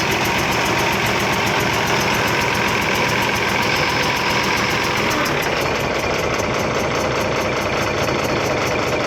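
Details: Ashok Leyland BS3 diesel truck engine (Hino-type) after retightening a loose manifold nut: a fast, uneven chik-chik from the middle of the engine rides over the idle at about three to four per second; head gasket leak.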